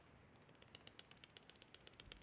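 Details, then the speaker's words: 1993 Kawai keyboard key worked up and down: quick light clicks, about eight a second, each with a hollow rattle; a weight in the key has come loose. "can you hear it that is the weight that has come loose so every time my key is going up and down I'm hearing this clunking sound"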